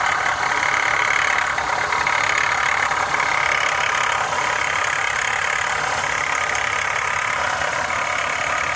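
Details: 2015 Honda CR-V idling: loose, metallic rattle running steadily over the engine; the cause is unclear.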